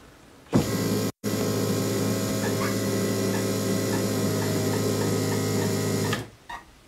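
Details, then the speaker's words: Bosch K-Jetronic on a Mk2 Golf GTI, CO mixture basic setting with the air plate closed and the fuel pump running: steady pump hum with faint evenly spaced chirps as the injectors open, meaning the mixture is too rich; it is being leaned by turning back. "right we can still hear the injectors chirping and coming out so now we're going to do another whole turn backwards now backwards is taking fuel away or leaning the mixture"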